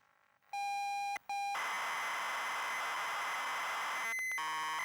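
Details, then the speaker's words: Grey ZX Spectrum +2 built-in tape deck after repair, slightly noisy mechanism, loading a fast-loader tape as a hard test: steady lead-in tone, a short break, then dense fast data screech and tone changes; loads cleanly. "I don't know if you can hear it but it sounds very different. This is basically a fast loader, if this can load this then it's a good take load."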